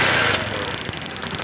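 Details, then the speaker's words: Honda CD 70 small single after replacing the magnet coil and reconnecting its wiring, kick-started: a short rush of noise, then a fast, even little putter that settles in; the engine fires and keeps running. "इसके साथ ही bike start हो गई है। अभी हम इसको start करते हैं आपके सामने।"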